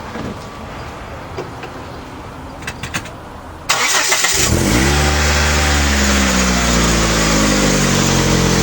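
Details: Mitsubishi started after straightening the alternator bracket so the alternator lines up with the harmonic balancer: the starter catches quickly and the engine settles into a steady, even idle with no knocks, squeals or belt chirp.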